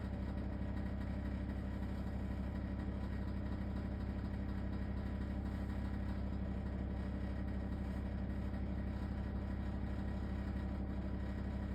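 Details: LG ThinQ WSES4728F wall oven: a steady, loud low rumbling rattle running evenly without pause, cause unknown.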